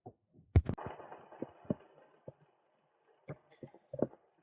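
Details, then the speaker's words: Planet X Pro Carbon bicycle rear wheel spinning in the stand: low uneven thumping and rough grumble from worn freewheel bearings, also grumbling axle bearing; felt through the pedals and stops when pedalling with the wheel. "so i think you can probably hear it now if you can't there's something definitely wrong so that is the three wheel because as soon as i just start moving that in time with the wheel it goes away and i can actually feel it through the pedals"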